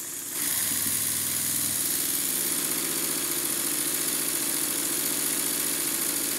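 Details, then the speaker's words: Stuart Models Double 10V model steam engine, sped up under heavy load via Scotch-Brite on the flywheel: steady, even chuffing beat over a loud hiss, no knocks; runs very well, though an eccentric sheave grub screw is broken. "as you can hear and see the engine runs very well but i would like to just slightly adjust the timing"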